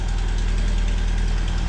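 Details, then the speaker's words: Vauxhall that starts first time: steady petrol idle with a light quick tick keeping time with firing; small blow at the exhaust manifold, to be replaced with a spare. "Tyres are like donuts, obviously, but it doesn't miss a beat. Little blow from the exhaust manifold, which we have a spare, so we'll be fitting that."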